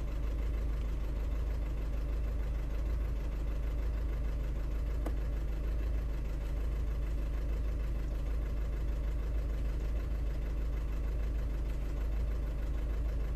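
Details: 2009 Audi A3 8P 1.6 TDI diesel in limp mode with DPF light, codes P2463 and P0202, injector fault suspected: idling with a deep, uneven chug and irregular stumble, a cylinder misfire.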